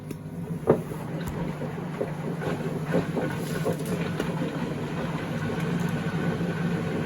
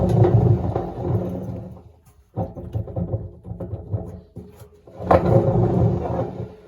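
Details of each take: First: 2012 Beko WMD261 washing machine on spin-and-drain function test: drain pump gives a steady low hum with light sloshing and drains fine; normal drain pump operation, though it sounds like undissolved tabs are washing around. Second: 2012 Beko WMD261 6 kg washing machine, drum spun by hand: loud rough rumble and grind in bursts, drum bearings worn out.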